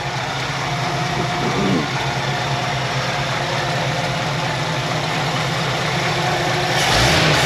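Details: 1966 Ford F100 V8 after new Remflex header gaskets to fix exhaust leaks: steady even idle climbing cleanly when blipped, no ticking or puffing from the manifolds; leaks much improved, runs healthy.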